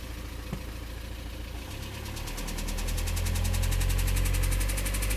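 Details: 2008 VW Passat B6 1.9 TDI, about 121,000 miles, driven 1-2 miles on low oil pressure before oil pump replaced: quiet idle, then a knock about three per second grows with revs; owner suspects rod big-end or main bearing, unconfirmed.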